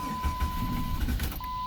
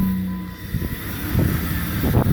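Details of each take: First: 2003 Jeep Grand Cherokee 4.0 with P0505 idle air control circuit code: uneven starter thumps under a steady warning chime, engine never catches; crank-no-start, with a failed idle air control valve suspected, not confirmed. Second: 2003 Jeep Grand Cherokee 4.0, first start right after replacing the failed idle air control (IAC) valve (check engine light was on): a few cranking pulses, then it catches and settles into an even, steady idle with no misses; normal start and idle.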